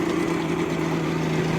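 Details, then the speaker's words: 1986 Mercury 90hp two-stroke outboard after water pump replacement, exhaust submerged in a tub of water: steady even idle burble, no knocks or rattles; pump picks up water on its own, strong stream. Normal idle. "That is so much quieter. Holy smokes. Pick up some water. There it goes. All right, folks, there it is. Running. Pumping water on its own."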